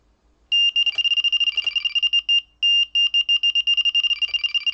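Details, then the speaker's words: Delkim bite alarm at beep speed level 4, response halfway: high beeps start separate then quicken into fast warble twice; takes little movement to reach warble, normal response. "It's not taking a lot to go into the warble."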